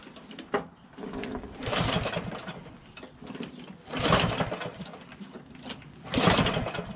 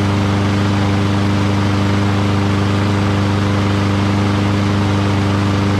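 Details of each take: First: Water-flooded Lawnboy RWD push mower with broken spark plug replaced: several slow recoil pulls, each a brief whirring burst with no firing; won't start, consistent with water in the fuel, before trying starting spray in the intake. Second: Curbside Lawn-Boy rear-wheel-drive push mower, found water-flooded with a broken spark plug. After the carburetor was cleaned and fuel added, this is its first start: a steady, rapid exhaust beat at an even pitch with no stumbles or surging, running cleanly.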